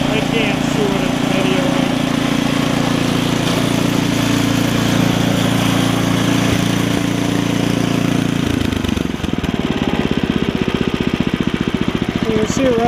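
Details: Ariens ST724 snowblower after impeller bearing replacement, first start after sitting: engine runs steady and even, beat shifting slightly as the auger engages and takes load, then holds smooth; healthy running.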